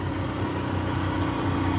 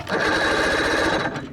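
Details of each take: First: 1987 Johnson 40 hp two-stroke outboard, in the water and warmed up: even, steady burble with no misses or knocks, running smoothly; earlier it wouldn't reach full speed. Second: 1987 Johnson 40 hp two-stroke outboard: fast even starter chatter turns it over but it never fires; no spark, traced to a faulty key switch after rewiring.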